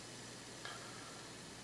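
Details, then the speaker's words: Revo Inshore Generation 3 reel after replacing spool bearings with Boca bearings: soft, even whirring hiss of spool spinning freely with no grit or ticking; bearing slightly louder but smooth. "and you'll hear the you'll hear the bearing it's a little louder but it's definitely smooth"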